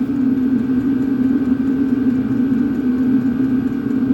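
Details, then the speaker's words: Vevor 8 kW heater on an EcoFlow River Mini, turned down to half power (level 5): a steady low hum with a faint high whistle, no surging or popping. It runs normally at reduced output. "Voilà, je pense que déjà on l'entend. Là, il fonctionne à la moitié."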